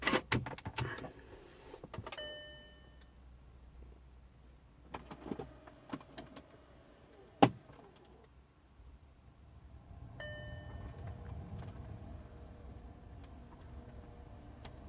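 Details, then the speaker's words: 2008 Audi A6, noise under the dash for a few seconds when the ignition is turned on: sharp, irregular clicks over the blower hum from an HVAC flap actuator; still present after adaptation failed, actuator fault suspected. "no so obviously didn't work you can still hear that flapping about so obviously the adaptation didn't work"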